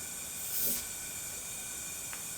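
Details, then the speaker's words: Suzuki GSX-R750 with low compression, leak-down test on cylinder 1 at TDC compression: steady airy hiss escaping back through the intake; poorly sealing intake valve. "pressing by the uh intake valves. like I can't hold on. It just keeps"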